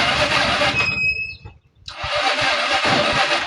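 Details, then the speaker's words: Euro 150 FI scooter that suddenly won't start, with the check-engine light on and a low-battery indication: the starter whirrs slowly in short bursts without catching. Weak battery, so a battery replacement is needed. "Tapos yung battery niya ay halos lowat na dahil naka-indicate na. So try muna nating iridondo. Naka-indicate na mahina yung battery."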